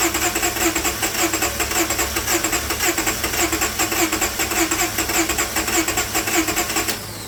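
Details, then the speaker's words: Towed-in crank-no-start car with water-contaminated fuel, run on an external supply of gas, acetone and fuel treatment cleaner: engine fires and keeps running with a loud, steady pulsing rhythm, no stumbling. "It ran. Now again, I'm not gonna worry about that fuel that's leaking, that's water, and it's going to another bucket."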